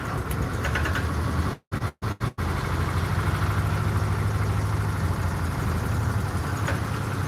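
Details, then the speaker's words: 1998 Argo amphibious vehicle with 18 hp Briggs engine, cold idle just after start, brake cooling fan running: low, even idle with a steady beat after a brief cutout; running normally, slow to warm up. "It's pretty cold. That motor there, it's an 18 horsepower Briggs, as you guys know. It takes so long to warm up."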